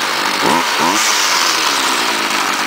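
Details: 2009 STIHL FS38 gas trimmer: small two-stroke buzzing high and steady with a couple of quick blips, clean pickup, no stumbling; normal running.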